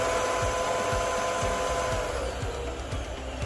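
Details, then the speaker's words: Dyson UP19 that sighs when running and when switched off, still sighing after a new genuine filter. A motor roar carries a soft sighing pulse about three times a second. "can still kind of hear it there and it bothered the customer. So we have to go to the second way of fixing it."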